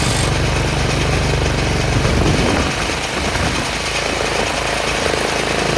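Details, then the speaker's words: Troy-Bilt 30-inch rear engine rider mower after carb rebuild: single-cylinder runs steadily by itself, a bit slow at idle but even, no stumbling; fixed a clogged main jet, not bad gas. "We got it worked out. It wasn't the gas at all. It was the main jet that was clogged."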